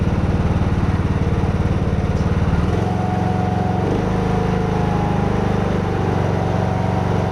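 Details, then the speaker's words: Craftsman T110 riding mower after tune-up (oil, plug, air filter, blades), blades engaged: steady engine thump with a faint extra whirring; suspected worn deck spindle or idler bearing; abnormal bearing noise. "i'm pretty sure y'all can hear that extra noise there that sounds like one of these bearings has gone either the spindles themselves or one of the idler bearings"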